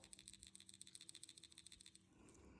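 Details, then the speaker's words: Removed O2 sensor from a 2003 Mustang GT 4.6L V8 shaken by hand: quick, tinny rattle of a broken inner element, so the sensor is compromised and needs replacing. "Um so replacing that one is, you know, was definitely needed. So again, I'll show you. You can hear the rattle."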